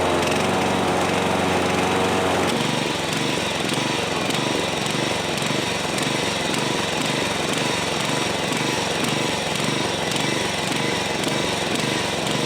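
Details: John Deere 14SB push mower, a trash find, run at half throttle after the carb was removed and inspected but not rebuilt: small engine pulses unevenly, about two beats per second; rough running, and the carb likely needs a rebuild.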